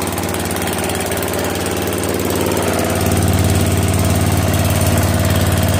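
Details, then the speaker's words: Mower/tractor after swap from a 15 hp OHV to a 12.5 hp flathead single-cylinder engine, started with choke and throttle. It settles into a steady, even beat and picks up slightly partway through. No misses, runs smoothly, good spark and pressure. "Oh yeah, that sounded good. Getting I'm so happy right now. Good sparks. Good pressure."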